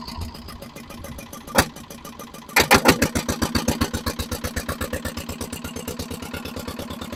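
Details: Barn-find dumper (Daphne) single-cylinder diesel running: slow steady chug about three and a half beats a second, rough firing; adjusting the injector cap pressure spring fully in and out made no difference, so injector needs removal and a pop test. Suspected, unconfirmed.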